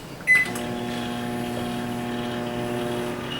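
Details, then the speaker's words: 2019 GE microwave after replacing sticking transformer power relay on control board, mug of water loaded: start beep then steady mains hum with fan whoosh as transformer and magnetron run; cancel cuts it off, relay working normally. "it Transformers own and then magnetron fired up let's try to cancel it you see it cuts"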